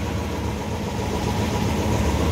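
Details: Yamaha All New Aerox 155 VVA at about 30,000 km, idling after the connecting rod was replaced to cure a rough engine noise: low, even putter with no knock or tapping, steady idle; smooth and healthy.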